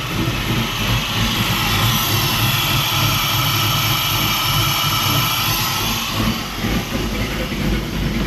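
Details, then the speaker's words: 1946 Ford-bodied truck with ACES EFI and Killshot timing control, idle speed adjusted by temperature: loping, uneven, sagging idle dropping to about 700–750 RPM despite being set at 850. Cause unknown, owner asks ACES. "why the H it was down to like 700 RPM 750 it set it at 850 I don't know what's up Aces let me know"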